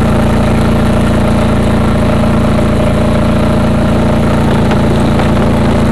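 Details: Craftsman GT6000 mower, first mowing after deck lift eyelet bolt welded, foot switch bad: steady, even low small-engine drone with no knocks or misses; runs healthy.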